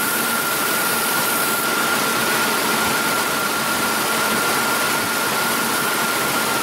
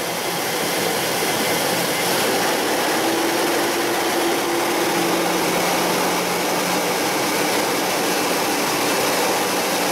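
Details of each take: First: Mazda B3000 / Ford Ranger with 3.0 V6, P0171 lean code and misfire: engine idling under a heavy hiss with an uneven, unsteady beat; rough lean-running idle with misfire. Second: Mazda B3000 / Ford Ranger 3.0 V6, after fixing a lean code (P0171) and misfire; held at raised rpm it gives a smooth, constant hum with no stumbles or popping, total fuel trim near zero, running clean.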